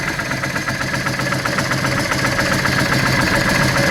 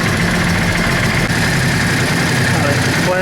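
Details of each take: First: Yamaha Drag Star 650 carbureted V-twin, spark plugs white from lean running, before intake boot replacement: loping idle at about four pulses a second, brief throttle blip that sags back; air leak at the intake boots causing lean idle. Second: Yamaha Drag Star 650 V-twin after replacing intake boots, adjusting TPS and vacuum-gauge carburetor synchronization: even low idle with a steady beat, no misses or hunting; accelerates much better; normal idle.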